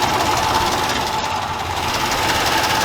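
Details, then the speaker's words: Dodge Dakota after engine swap, first fire-up: light, quick ticking about three to four per second over a quiet idle, rpm dependent; owner says one or more collapsed lifters, plans to replace all. "Sparks right up. We have a slight valve noise."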